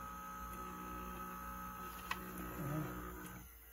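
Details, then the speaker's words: 1960s Electra TC-505 reel-to-reel tape recorder being restored, running in rewind/play: a low, rough, droning hum as the motor growls. The motor shaft is dirty with crud and dry; the fix is to clean and oil it. "this rewind stop play and the motor is growling so we're going to clean the motor and the shaft has got crud on it"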